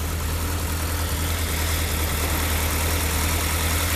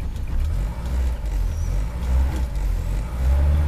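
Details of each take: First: Rover P6 started in cold English weather about three weeks after its last run: a steady, deep, even idle with no knocks or misses; it starts reasonably well apart from a starter motor issue. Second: Rover P6, cold engine, choke nearly in: revs up cleanly without coughing or spluttering but runs slightly lumpy and uneven until warmed up; some rattles are from the door.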